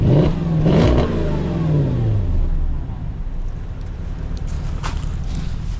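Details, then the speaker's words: Porsche Cayenne V8: deep rumble swings up on throttle and falls back cleanly, even firing, no knock or squeal, owner wants an exhaust upgrade; normal revving. "That sounds crazy. We definitely need an exhaust upgrade on this."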